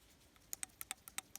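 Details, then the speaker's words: Idle control valve from a 1995 BMW 730iL that ran poorly, removed and shaken by hand before cleaning, covered in sealant and gunk: a few light, uneven dry clicks, the valve gummy instead of loose; sticking idle control valve. "hear that clicking. That should be super loose. So this one feels kind of gummy."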